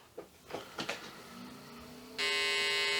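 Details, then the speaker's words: Olivetti M300-30/P, BA366 motherboard, powered on again after fitting the remaining memory modules: steady high-pitched beep at power-on after some handling, normal POST beep, though memory then counted only 4 MB, suggesting a module not seated correctly. "We're still getting beep tones, so it's it's good."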